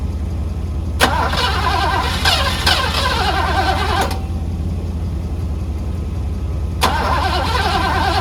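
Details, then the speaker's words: 1985 Mercedes W126 SEC, restoration Part 1, left unworked about 2 years: steady rhythmic cranking for several seconds, never fires, even with ports 7 and 8 bypassed; owner guesses fuel pump and will order a new one, unconfirmed. "All right, so I guess it's the fuel pump problem. So what I'm gonna do is just order a new fuel pump, see if I can start it."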